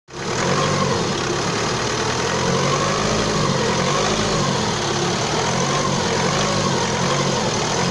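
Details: Opel Astra J engine running with a busy mid-range rattle over the idle and slight knocking toward the end; cause not identified.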